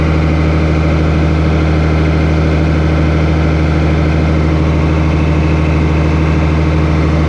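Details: 8300T truck diesel after an engine rebuild, at final assembly before a test drive: deep, steady, even drone at light throttle with no knocks or misses; normal running under light throttle.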